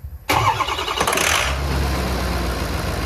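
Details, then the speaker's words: Ford Powerstroke diesel, freshly rebuilt (10-over, balanced rotating assembly), about 500 miles after rebuild, cold start: long injector chatter, fires quickly and settles into a steady, even idle rumble; sounds normal. "let's get a cold start going on here first fire up have a cold stove fresh rebuild 10 over balance rotating assembly kind of ceiling tub by the injector chatter it's pretty long it sounds good though doesn't it"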